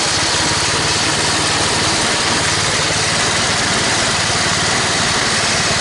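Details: Toro 824 snowblower after carburetor replacement (was stalling, hard to start, wouldn't stay running; suspected sticking float): loud steady buzzing run holding speed evenly, no surging or dying, through all gears with auger engaged. Normal running.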